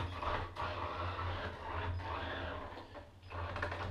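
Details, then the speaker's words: Waterproofed Axial SCX10 2012 Jeep Wrangler Rubicon crawler with sensored brushless motor fully submerged: faint motor hum surging and dropping unevenly going forward, while reverse had jittered then smoothed; ESC error lights show sensor error, so the motor stutters from a sensor fault. "now the brushless motor is absolutely not happy you hear that i think it's going wrong with the senses going forwards is not good"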